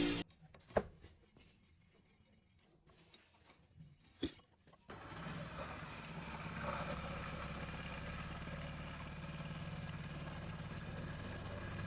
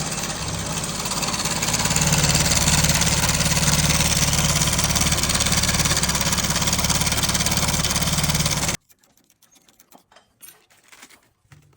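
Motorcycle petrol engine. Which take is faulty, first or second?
second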